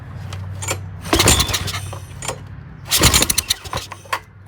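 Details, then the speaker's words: Old Briggs push mower engine with air box removed and ether sprayed into the intake during start attempts; irregular sharp pops and bangs; engine backfiring out the intake. "not. She's backfiring out of there a little bit."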